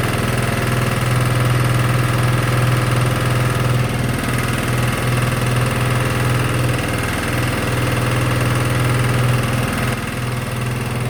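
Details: Sykes GP80 water pump, Lister TR1 single-cylinder diesel, cheap auction buy, first run: loud steady low thump, even and regular, something rattling on the floor; normal idle, charging at 14 V.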